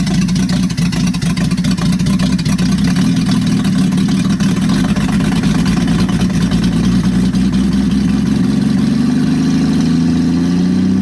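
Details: Engine with aftermarket Monojet carburetor freshly installed, exhaust off, start after about 3 weeks sitting; loud, raw, uneven wavering open-exhaust drone, rough idle; choke likely needs adjusting, owner suspects idle or mixture needle setting.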